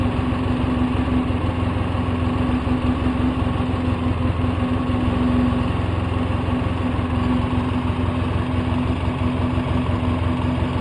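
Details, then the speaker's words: 2004 Polaris Sportsman 700 twin, choke fully in, low on fuel with Seafoam added, exhaust just refitted: steady, even putter with no hunting or misses, idling at 1300–1320 rpm, too high, later turned down to about 1100. "The fuel keeps coming on because it knows it's low in gas, so it keeps reverting to that 1310, 1320. I'm gonna have to get the climber out and see what the idle should be. I don't think it should be that high."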